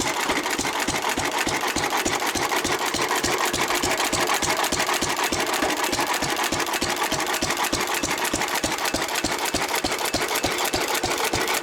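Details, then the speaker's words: 1923 3.5 hp Emu (rebadged Hercules) stationary engine, restored early 1980s, idle 20+ years, after oiling a sticking magneto/exhaust valve linkage: crisp evenly spaced firing about three beats a second, steady rhythm; normal hit-and-miss running. "Ah, it runs pretty well."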